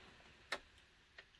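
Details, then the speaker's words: Adria Astella caravan fridge switched to gas, running on battery without car connected: a few sharp, sparse ticks as the igniter sparks to light the flame, then flame burning; normal operation. "we've then got gas so again that will then go through its system you'll hear it start ticking and then you should hear the burning of the flame when that lights up"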